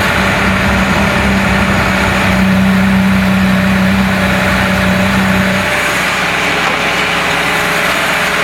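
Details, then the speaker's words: Renault C1J S 7000 engine from a scrapyard, unused about 15 years, rebuilt, ignition advance set for ethanol, mixed spark plugs, not fully tuned: even steady fast idle around 1500 rpm with smooth regular firing, running cleanly. "là tu entends qu'il tombe bien et on est à 1500 tours minute on est à 1500 tours minute là actuellement sachant que il est pas encore tout à fait réglé la capsule tout"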